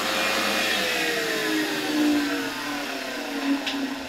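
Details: Old vacuum cleaner brush motor run through a 1992 Ukrainian RS-6-220 triac voltage regulator: steady high whine spinning smoothly, pitch sliding down as voltage is turned back, then cut off, no grinding or rattle; normal running.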